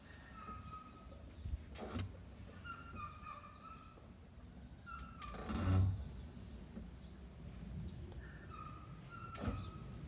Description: This is a video of my Toyota Corolla Hatchback 2020 making a loud & weird noise while reversing at low speed on a downhill ramp (~8% incline) and applying the brakes.